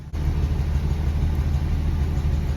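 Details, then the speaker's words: 1982 Dodge W150 slant six 4x4 with a Weber carburetor and badly adjusted points, now partly improved. Low, rough, lumpy idle with one cylinder dropping out; timing and accelerator pump still unchecked. "i don't know if you can hear that there's also a cylinder dropping out"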